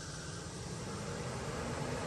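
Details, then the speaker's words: Infiniti G35/G37 during hidden function self-test: clicking from A/C components, then steady even rushing air from the A/C condenser fans, with no rub, flutter or bearing whine; fans working normally. "And you can hear a bunch of clicking sounds. This is from the AC lines and all that fun stuff. And there goes the AC."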